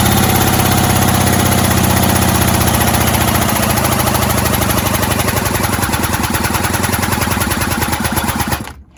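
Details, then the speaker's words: 1970s Puch Maxi E50 50cc two-stroke moped engine, bench-started with missing parts and improvised bolts, choke tried: steady rapid chuffing about four beats a second that never catches and fades; no start. "as you saw i tried to start it before and it just didn't want to know"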